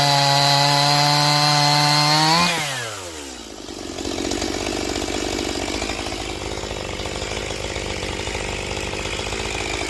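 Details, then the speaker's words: Stihl MS180C 32cc chainsaw after low-speed screw opened 1/8 turn: high revs drop as the chain bites a log, then hold strong and even through the cut; bogs slightly under pressure when cold, better once warm. "okay so for a little tiny saw uh 32cc saw it actually works quite well"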